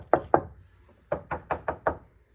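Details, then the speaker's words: Subaru Justy panel after KillMat sound deadening applied with firm adhesion: six dull knocks each dying almost at once with no tinny ring; deadening working. "Making sure to get a real good adhesion there. I'll see what it sounds like. See how it's not ringing? It's like"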